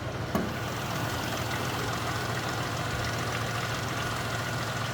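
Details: 2000 Cadillac Eldorado ETC, 4.6-litre V8, 62,747 miles, no warning lights, heard with hood open: soft even idle with steady low hum, no knocks, ticks or misses; nice and quiet, normal idle.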